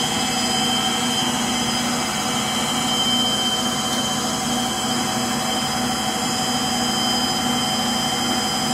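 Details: Frigidaire Gallery front-load washer GLTF1670AS1 on high-speed final spin: a steady roar with a thin persistent high squeal over it, from motor bearing noise.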